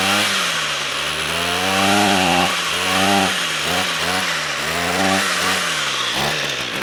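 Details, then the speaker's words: Ryobi two-stroke string trimmer pulled from the trash, run after its stale fuel was replaced with fresh: buzzy engine whose revs wander and surge, showing spark and compression are fine and fuel is the issue; the carburetor likely needs cleaning. "okay well it runs so we got spark we got compression fuel is the issue so i don't see any adjustment screws on this i think it needs to be cleaned"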